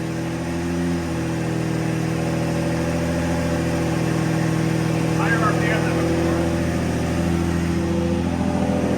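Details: Lamborghini Murcielago V12 (two ECUs, two fuel pumps), after fuel tank refitted: smooth, even idle, steady low burble with slight rise in revs, both banks firing cleanly, no misses; normal idle.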